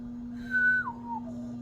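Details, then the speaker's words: Mid-1990s Hunter Arts & Crafts ceiling fan at high speed: steady hum under a clear whistle sliding down in pitch, like an orchestra warming up; mostly parts vibrating, capacitor considered, cause unconfirmed. "Not silent. Sounds like an orchestra warming up."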